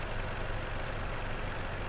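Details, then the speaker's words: Toyota Innova engine after being taken apart three times, with automatic valve lash adjustment; low, smooth, even idle with no roughness or knocking, previous rough sound gone; normal idle. "Jadi kita gak mau ada kendala yang suara kasar ini Alhamdulillah sudah halus juga ini tinggal kita diamkan nanti di bengkel sambil kita lihat untuk langsam"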